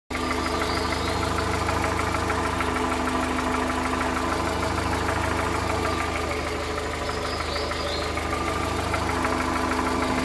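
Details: 2013 VW Voyage, EA111 engine, at idle: steady idle with faint fairly even knock about three times a second, seeming to come from low in the engine; abnormal noise, cause unknown.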